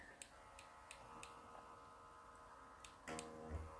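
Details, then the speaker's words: Märklin 33121 model locomotive from the late 1990s with its original Delta decoder and AC motor. At low throttle the motor gives a faint electrical buzz with light clicks but does not move, then starts jerkily, before a LokPilot 5 basic and 60941 motor kit upgrade. "um but as I turn up the throttle you can hear it buzzing and you don't see it moving, listen very carefully"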